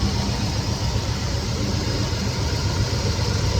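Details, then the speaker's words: 1969 Chevelle SS big block, sat 37 years: V8 idle with an uneven, lumpy beat stumbling every few pulses, one cylinder misfiring. Exhaust temps read 600, 280, 500 and 320°. Owner will check the carburetor for junk from storage and fears a lifter going or a valve issue. "Because yeah, it has a miss in it, and yeah, I'm just hoping we don't have a lifter going away or a valve issue or something like that."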